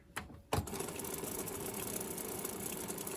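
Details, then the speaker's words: Carver TD-1700 three-head unidirectional cassette deck (Aiwa-made), after transport service with reel drive and idler problems, head block now moving freely; clicks as mechanism engages, then steady even whir; fast forward and rewind now work, some noise remains; normal. "Oh, we've got fast forward now. And we've got rewind now. We didn't have that before. Still making noise in there, but not too shabby."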